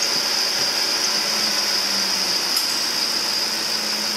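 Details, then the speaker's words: Ford F150 idling: thin, steady high-pitched squeak from a slipping drive belt. "all right that's G it's the belt"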